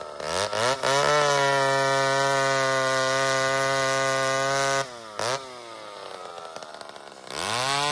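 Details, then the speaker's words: McCulloch chainsaw that hadn't run in 25 years, carb deliberately set rich: snaps to a high steady scream, burbly at the top, back to idle and revs again; four-stroking. Owner plans to lean it out. "She's a little fat, friends. And I've been running that way on purpose. Hasn't run in 25 years. So, I'm just giving her some fuel here. Now, I'm going to lean it out a little bit. See if I can lose some of that four stroke in the crack."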